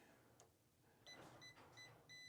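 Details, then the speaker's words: Electric water heater heating element, wires removed, checked with a multimeter: a steady high-pitched continuity tone across the leads shows a complete circuit through the element, so the element is good. "You sure hear that? You sure hear the noise go like that? That means that there's a complete circuit."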